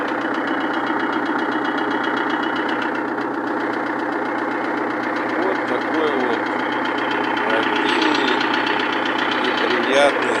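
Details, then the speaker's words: Perkins-replica diesel idling after a major overhaul, with a sharp, regular tapping about four a second. Valves were adjusted repeatedly, even fully tight, and pistons don't touch the valves. Valve knock traced to a weakened valve spring. "частные реплика перкинса на photonic двигатель после капремонта звук клапана регулировались несколько раз вплоть до полного зажатия но стук не уходил"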